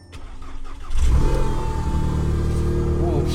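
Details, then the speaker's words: Newly bought German car of unknown history starting on the trailer, oil level unknown; engine cranks, catches after a second, then settles into a deep, uneven low rumble, exhaust sounds horrible, possible exhaust leak or damage, unconfirmed. "she got a little She got a little rumble, yo. All right, let's get this down quick. Oh, that sounds horrible. I do not like how that exhaust sounds."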